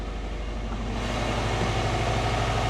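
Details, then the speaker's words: Turbo Subaru Forester after ECU update that wouldn't start, cause found to be timing, transient throttle disabled, engine cold: deep steady low thrum firming up with slight waver; normal cold running. "running, boys. It was timing."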